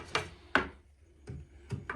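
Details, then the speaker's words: IKEA bed slats after candle wax was rubbed on every contact point: a few dull wooden thumps as the bed is pressed, with no creak or squeak following; the squeak is fixed. "and it really seems to get rid of the squeaking there's no squeaking here this one's going quite badly squeaking's gone"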